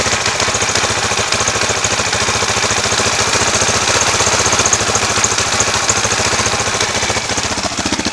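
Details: 2004 KTM LC4 640 single, 11,000 km, Akrapovic slip-on, at 40°C oil temperature with a little choke: fast, fairly even ticking clatter over the idle; unusual top-end mechanical noise, cause not pinned down.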